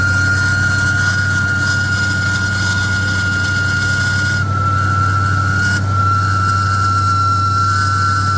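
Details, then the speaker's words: 1966 AMC Marlin 327 V8 with Holley 4-barrel, restored, started after pumping the gas: constant loud roar with a steady high whine over the idle, no letup; the fan clutch is locked and spinning when it shouldn't. "Right away you can hear that clutch. Not supposed to be spinning."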